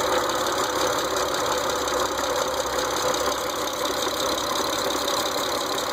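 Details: 2006 Mitsubishi Eclipse GT petrol engine idling steadily with a quick, light ticking over the hum throughout; owner is trying to find the source.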